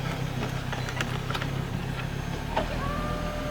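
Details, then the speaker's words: Mk2 Ford Focus XR5 (ST225) with a front CV axle snapped after crossing railway tracks, crawling as the clutch is let out. Low drivetrain rumble with sharp clunks and knocks, severe vibration, and a clunk on every gear change. "like every gear change is a massive clunk going uphill it's just severe vibration"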